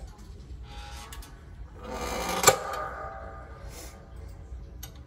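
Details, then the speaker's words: Fancierstudio 15x15 heat press, about a year and three months in use, heating for a 30-second patch press; a single sharp click over quiet room noise is the heater cycling to hold the required temperature. Normal. "so now we're gonna try and like i said you're gonna hear it clicking but that's because it's trying to get the temperature stay at the temperature that that's required"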